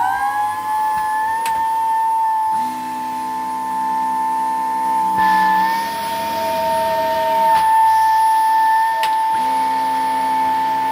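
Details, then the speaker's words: Dyson ball vacuum from the tip. A loud, steady high-pitched whine sits over the motor roar and holds its pitch throughout. The owner finds it awful and is unsure of the cause; refurbishment planned. "the motor sounds whiny so I'll see if it's a Lucille anyway I'll get refurbished or I'll try to fix this at the very least and if it doesn't stop whining it can go in the"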